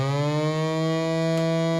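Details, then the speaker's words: 1975 JVC 9407LS radio cassette player on cassette playback: steady low hum with buzzy edge held throughout; hum suspected from record switch. "And straight away there's this humming noise. Just press stop. The hell was that? Press play again. Okay, I think that's something to do with the record switch."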